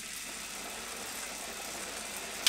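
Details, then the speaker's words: Wahoo KICKR CORE bike trainer, nice and easy pedaling at cruising pace: soft, even hiss with no knocks or rubbing, slight frame creak and a single tick near the end; trainer spinning cleanly and quietly. "Anyway, here we are, nice and easy pedaling. Super silent. You hear the creaking on my frame, but that's about it."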